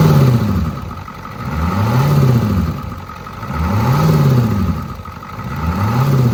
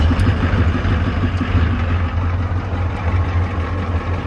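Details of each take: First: Ford 6.9/7.3 IDI diesel, simulated cold start: engine swells up and falls back about every two seconds, a steady hunting idle; air intrusion into the fuel supply, not present when hot. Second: Ford 6.9/7.3 IDI diesel after its fuel-system problem was fixed: a deep, steady, calm idle rumble with an even beat and no hunting or surging. Normal idle.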